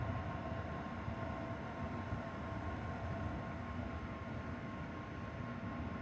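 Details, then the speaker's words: Zotac RTX 4090 AMP Edition graphics card fans at about 50 to 60 percent with phone right up against the card: steady airy whoosh with faint even hum, no ticking, rattling or bearing growl; normal fan noise. "my computer's under the desk so it's not really much of a bother the noise but again it really doesn't ever go above like 30 um 30 percent so the fans you don't really hear them"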